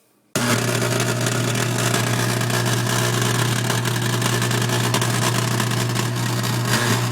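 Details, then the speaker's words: KitchenAid Artisan mixer, 6-7 years old and barely used, always ran rough, then stopped; it runs again after new brushes and speed control plate adjustment. Steady low hum with harsh grinding rattle. Owner suspects armature, governor, bearing or speed control board. "it was the point where it wouldn't run at all but it's still making awful noises"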